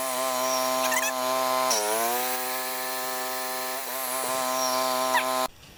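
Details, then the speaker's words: Yamaha 1000 W generator at maximum load after its carburetor jets were reamed out to cure idle surging, new gaskets made, choke on: steady, even drone holding pitch with only a brief dip as load shifts; no surging. "I reamed out the Jets to see if it'll stop surging on idle so here we go are you ready let it run for a little while this is maximum load"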